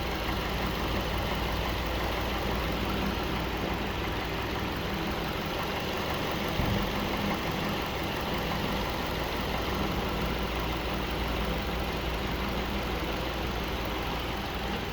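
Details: Steady, even idle with a soft low hum and no grinding or scraping from the front of the engine after a new water pump and belts were fitted; sounds healthy.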